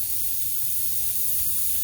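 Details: 2006 Honda Odyssey flat tire, aired up with valve cap removed: steady unbroken high hiss of air escaping at the valve stem; leaking tire valve core.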